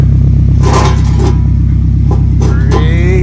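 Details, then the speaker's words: 2011 Camry with broken exhaust, engine revving: very loud, deep, blatting rumble like an open pipe, swelling with revs. Flex pipe was seen leaking and owner assumes it is cut. "much she's loud okay she sounds like a scatty sounds like a scatty with the scit pipe you know what I'm saying"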